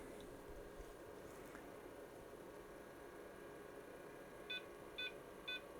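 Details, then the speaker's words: IBM PC 5150 floppy drive (the problem IBM drive), 360k disk formatted on a reference drive, IMD alignment test: steady hiss with three clear beeps; track zero read normally, amplitude about 600 mV peak-to-peak, near maximum. "and as you can hear the beeps are there and the amplitude on track zero seems to be pretty much the maximum it can be for these IBM drives or tandom drives around 600 Ms Peak to Peak"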